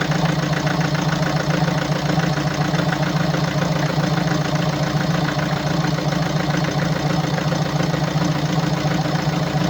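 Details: 2017 BMW 525d F10, N47D20D 2.0 diesel, 218 PS, 138,035 km, at idle: hard, uneven clatter about three or four ticks a second over a rumble, caused by defective injectors and defective swirl flaps.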